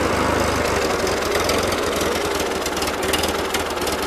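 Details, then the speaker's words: 1941 Ford 9N tractor: uneven loping idle with loose irregular knocking about three per second; idles rougher than earlier, not settling. "it's all too bad don't idle anywhere near as good as it did in the first couple flips I out of this thing basically now I mean if idling but you can tell it's not happening"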